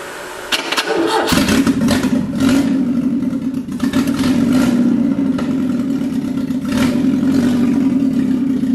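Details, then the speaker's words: Classic Alfa Romeo with rebuilt Weber 40 DCOE 2 carburettors, new intake manifold gasket seals just fitted: catches after a short crank, then idles unevenly with dips and surges, keeps losing speed; rough running before tightening the plate and adjusting idle mixture. "they sound like poop they sound like poop keep losing"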